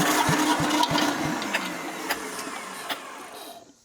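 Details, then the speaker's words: Long-parked diesel compactor engine, fuel line disconnected after finding degraded O-rings: quick steady cranking about three beats a second, no firing, then slowing; cranks but won't start, owner suspects the fuel pump. "There's something something going on with that fuel pump there. It's just not it's not doing what it's supposed to do."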